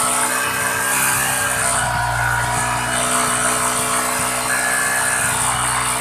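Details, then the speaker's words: Yamaha Jupiter MX King 150cc with a rough-running engine and hard kick start: steady idle with an even whirring cooling fan over it, no rattle or scrape; radiator fan working normally after engine and radiator work. "Nah itu ya kipas yang sudah berfungsi"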